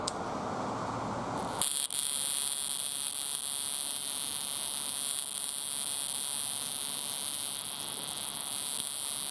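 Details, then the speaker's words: 1998 Chevy pickup 5.7L misfire on cylinder 2 despite new plugs and wires; distributor cap off, number 2 backfed: rapid snapping spark crackle over steady high buzz as spark jumps to adjacent tower through burnt cap; crossfire arcing. "It sparks at that one just as much as it does at this one. So that's what we're getting. It's actually jumped from this one here over to this one here."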